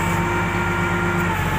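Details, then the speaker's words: Komatsu GD511A grader, low-power complaint, hydraulic pressure re-set from about 10 MPa: engine idling, no throttle, lift plate held on relief, constant hiss and faint whine; relief reads about 2250 PSI (15 MPa), holding normally. "itu reliefnya sekitar 2250 ya teman-teman ya, atau 15 MPa ya teman-teman ya."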